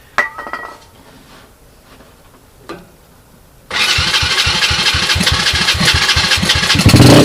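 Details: 2007 SSR Monster 125cc pit bike with a rebuilt carburetor (float issues remain) on a portable 12V GY6 CDI: a few clicks, then the single catches and settles into a quick even idle with no knocks or misfires; healthy.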